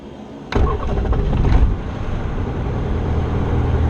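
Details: Jabiru 170 aircraft engine, warm after just flying (46 degrees, no choke), mags on after a 5-second boost pump run: brief crank, then a clean catch into a steady even idle, oil pressure rising into the green, throttle set for 1000–1200 RPM.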